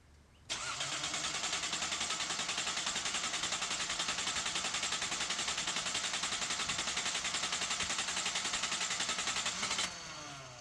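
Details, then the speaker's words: 1981 Datsun 280ZX just fitted with new fuel injectors during a service for loss of power and rough idle: engine catches and settles into steady run with a strong airy hiss on top; owner still hears hissing, suspects air leak, unconfirmed. "I'm still hearing that hissy noise"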